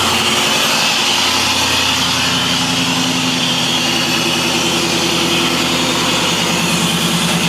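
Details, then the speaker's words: LS-swapped Monte Carlo SS V8 on the stock cam with mellow exhaust, only the alternator plugged up: starts right up without a jump box into a steady, even idle with a mellow burble, no knocks, ticks or misses. "Start it right up."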